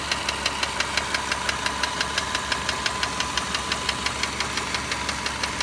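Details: Car at about 45,000 km of ownership, ticking since purchase and not fading at operating temperature: crisp ticks about three per second over a steady idle; source not found.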